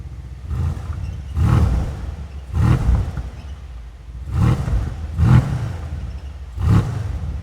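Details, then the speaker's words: Mercedes-AMG C63S (W205) M177 4.0L BiTurbo V8 after rebuild, revved: deep blips about every second with a rough, uneven flutter at the rear. Diagnostic shows an exhaust flap fault code, timing good. Faulty exhaust flap. "I ran a diagnostic, we've got a fault code, but it's for the exhaust flap, so timing looks good. But actually if you rev the car, you can hear that exhaust flap at the back there."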